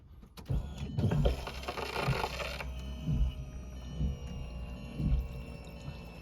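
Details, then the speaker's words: TDI diesel with a newly installed aftermarket electric lift pump on a relay: at key-on a faint electric buzz for about two seconds fades to a low hum as it cycles. Normal lift pump priming. "you can hear it cycle it again one more time perfect so that's working good"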